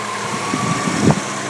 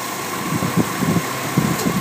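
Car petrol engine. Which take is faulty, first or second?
second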